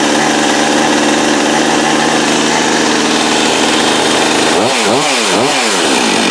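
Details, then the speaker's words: Husqvarna 562XP chainsaw, which came in not running with low compression and a marked piston, after repair and reassembly: strong steady two-stroke scream, clean blips, returns right to idle; no air leak, good runner. "yep that's gonna be a good runner right there that sounds right comes right back to idle the way it's supposed to you know which means it has no more air leak"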